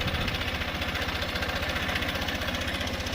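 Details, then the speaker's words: 2023 Honda CB125F single at idle after a 128 km ride, following a cylinder head repair with Threebond silicone: light, regular tapping about four per second over the thump, a top-end tick of unconfirmed cause; owner plans to check the valves. "There's definitely some noise coming from the engine."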